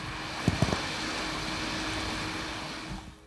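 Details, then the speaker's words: Intel Core Ultra 7 computer idling in a plastic body: steady airy rush with faint constant hum, the cooling fan running loudly all the time even at light load because the CPU runs hot. "But like all Intel CPUs at the minute, it does run quite hot. There's a lot of fan noise all of the time, even when it's idling."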